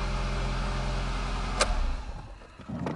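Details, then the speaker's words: Renault Logan 1.4 manual at 183,977 km, first start after cylinder head removal and repair for coolant loss, clutch pressed in neutral: catches instantly, smooth steady low idle around 1200 rpm, no knocks or ticks; normal idle. "нейтралка сцепление выжимаем тут не автомат коробка машинка завелась с полпинка как слышите"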